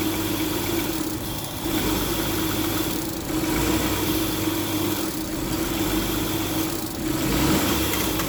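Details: Kia with P0301, P0303, P0305 misfire codes, cold start with brake cleaner sprayed into intake to test fuel delivery; idle hunts and sags roughly every two seconds with uneven stumbling beat; misfiring rough idle, cause undetermined.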